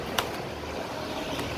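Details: Sharp PJ-SL181 18-inch floor fan after repair (blade refitted fully onto its locking pin and the missing blade lock cap added): steady, soft airy whoosh on speed 3 with no squeal or rubbing, noise cured.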